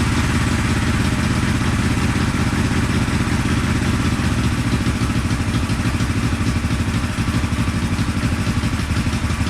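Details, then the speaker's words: 1974 Honda CB450 twin, a restored customer bike that sat for a couple of years, runs rough and uneven at low idle with irregular pops through the carbs; ignition timing is about 20 degrees off (retarded), and the points cover was installed improperly. "the timing was way off like probably 20 degrees off that's why we were getting some pop sizes the carbs and everything"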